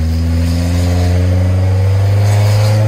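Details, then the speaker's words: 1988 Winnebago LeSharo, exhaust found disintegrated inside: at full throttle it pulls hard and even to about 35 mph, with no misses; much more power than before. "oh yeah so much better baby never ever ever has this car going this fast"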